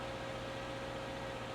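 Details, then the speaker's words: Salvage-auction car with 120,000 miles. A little knocking was heard at first start, but now there is a smooth, even idle hum with a faint steady whine and no knock: a normal idle once settled. "Did you hear the little knocking? When she first started, 120,000 miles right there. But now it sounds better."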